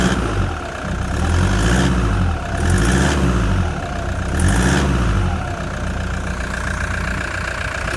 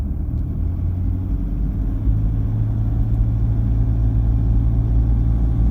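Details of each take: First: Cold Toyota Prado diesel idling after injectors were replaced by a shop and a remap, heard outside: rough uneven clatter with a faint repetitive tick; a one-cylinder leak, perhaps at the inlet manifold, is suspected, not confirmed. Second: Toyota Prado diesel after injector replacement and remap, warming up at 1650 rpm: steady low rumble with a light uneven rattle, the same as before; a normal diesel rattle that quietens as it warms.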